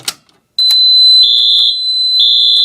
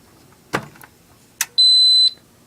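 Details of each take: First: Fire alarm system test with a Radionics D7022 panel and Silent Knight NAC extender, set off from a pull station: loud, high-pitched electronic horn sounds steadily about four seconds, then stops, with strobe flashing at 15 candela; working normally. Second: Radionics D7022 alarm control panel with one standby battery unplugged: two soft clicks, then a single high-pitched half-second beep as the panel goes into trouble, showing system fault and the battery LED; trouble signal from a disconnected standby battery.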